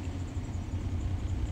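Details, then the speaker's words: 2005 Chevrolet Silverado V8 idling, sat a year, check engine light on: low, uneven rumble with irregular dips, rough shaking as scanner shows misfires on cylinders 1 and 2 simultaneously. "cylinders one and two specifically are the ones that are misfiring and that's why it feels really rough because we have two cylinders misfiring at the same time instead of just one"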